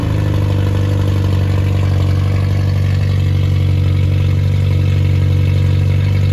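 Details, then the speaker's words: Rebuilt Triumph Spitfire 1300 (1296cc) with a shaved head (about 8.5:1 compression), a 270-duration cam, a balanced rotating assembly and 75 psi oil pressure at start, in a post-rebuild run: steady, even low drone, no knocks; healthy. "I'm gonna start it up and and let it run for a minute I'll speed it up to about twenty five hundred and three thousand RPMs after a while"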